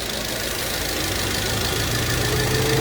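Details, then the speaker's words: Car engine that was shaking violently, restarted after a cheap part was fitted and the ignition coil and connector were reinstalled: a smooth, steady idle with even pitch and no shake or misfire, so the shaking is gone. "Wow, look at that. The shaking's gone completely."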